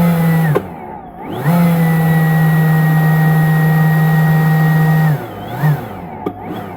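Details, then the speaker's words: Ryobi 40V brushless Whisper blower on a fully charged battery, lowest speed setting: steady hum drops out, returns, then dies and surges; motor cutting out intermittently, suspected worn speed switch. "See how so as you see me not moving my fingers just in the first position should give me the lowest slowest amount of air and instead it's cutting in and out."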